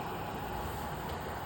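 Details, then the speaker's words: Komfovent ventilation unit on test at normal operating mode without duct silencers: steady, even rush of airflow noise with no rhythm or tone, from the air flow rather than the unit itself. "Шум, нагадую, це від потоку повітря, не від роботи самої вентиляційної установки."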